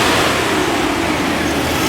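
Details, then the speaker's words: 1998 Chevy/GMC 1500 at idle after replacing the original 21-year-old fan clutch, which had failed in the on position: even idle with a soft, steady fan rush and no howling; the new clutch freewheels normally, with some break-in expected. "Oh, nice. Doesn't sound like it wants to take off. It should run a little bit. That's a lot better than it was."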